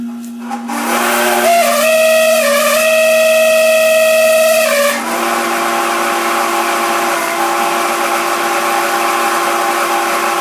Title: AC motor with bad bearings